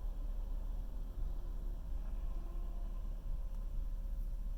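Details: 2010 Chevy Avalanche LTZ V8: a deep idle that wavers and stumbles unevenly as RPM jumps around; rough idle persists even after the throttle body was removed and cleaned the day before.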